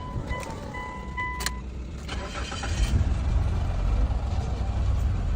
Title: No Crank No Start || Car Start With A Single Wire #shorts